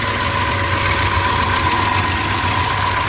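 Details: 2005 Chrysler Grand Voyager 3.3-litre V6 after EGR valve replacement and battery reconnection: smooth, steady idle with a light, even valvetrain tick and no hunting or stumbling; runs normally.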